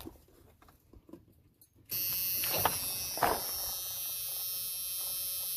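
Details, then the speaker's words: An old hot rod shop truck has a no-start after running 30 seconds and dying. At key-on the fuel pump makes a steady electric buzz, but it gave one shot of gas, then quit and barely drips. The pump seems to run but deliver no fuel. "gave a little shot of gas but then it quit and it's just barely dripping all"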